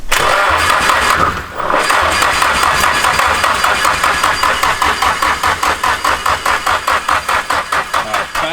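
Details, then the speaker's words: Nissan-engined Mazda Miata engine swap during first start attempts: starter drags the engine slowly at about 2.5 labored compressions a second and it never fires because the battery is too dead. "Battery's too dead. It doesn't"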